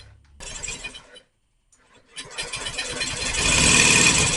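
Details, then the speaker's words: Honda Metropolitan scooter, 3,755 miles, after fuel system cleaning, throttle open, brake lever held; starter chatters, engine briefly flares into a rising buzz but won't keep running, fuel puddle underneath. Starts briefly but will not keep running. "oh so close it's not it's not alive I failed there's a puddle of fuel under it but it kind of sort of wanted to a couple times"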